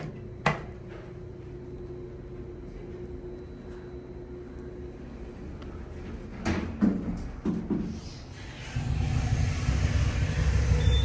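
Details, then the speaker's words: Otis Gen2 machine-room-less traction elevator, a few years old, Baylor University, recorded riding in the car: steady low rumble, then knocks, clunks and a rough roar near the end, sound changing through the trip; rough noisy ride, cause unknown. "That is something, y'all. a few years old, and it's already sounding this bad."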